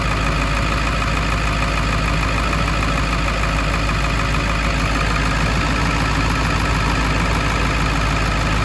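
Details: 1999 Ford F250 7.3L Powerstroke diesel, started after rebuilding the leaking EBPV pedestal and replacing its connector pigtail: even, steady idle clatter with no misses or surging, normal idle.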